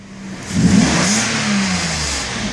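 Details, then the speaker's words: 1992 Mercedes S600 V12, out of limp mode, vacuum leaks making idle a little floaty: light blip sends revs up quickly and smoothly to about 4,000 rpm and back cleanly, no hesitation. "the same exact pressing of the gas I get this car to accelerate nice and easy on all 12 cylinders 4,000 no problem"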